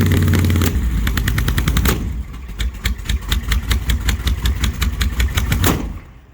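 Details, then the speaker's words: 1968 Plymouth Barracuda with supercharged big-block, first start: lumpy, uneven idle broken by sharp bangs about every half second, backfiring flames out the intake front, pop-off valve venting; untimed yet, cause unknown, number 1 plug dry. "Every time it backfires, it's shooting a big flame out of the front of the intake, which is also not good. No idea why it's acting this stupid."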